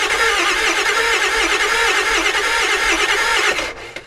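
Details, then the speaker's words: 7.3 Powerstroke turbo diesel E350 van, long sitting: even cranking about four turns a second for 3.5 s, no catch; crank sensor now plugged in gives 150 rpm signal but ICP not building, crank no-start from low injection control pressure. "now the RPM went up to 150 so which is good so we actually have an RPM signal now but the I CPE still isn't going up at all"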